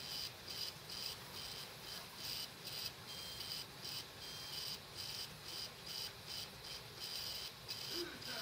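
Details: Dead laptop hard drive running with cover off: high-pitched chirps about twice a second in an uneven rhythm as heads struggle; probably died from the computer parking the head every minute or so (suspected OS X/power-save firmware interaction).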